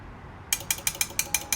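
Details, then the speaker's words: Truck train-horn kit with no relay or instructions; the air horn solenoid is tested on its own. Seven crisp, evenly spaced metallic clicks about six a second: the solenoid snaps over cleanly and is good. "Solenoid works. Okay, clicks that way. And this way."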